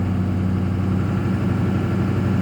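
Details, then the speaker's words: 2006 Ford F250 Super Duty 6.0 Power Stroke diesel after hard restart, check engine light on, idling with lumpy uneven rumble; running very rough; fuel pressure and FICM 48 V checked, cause not found. "running very rough but we just went and saw the fuel pressure"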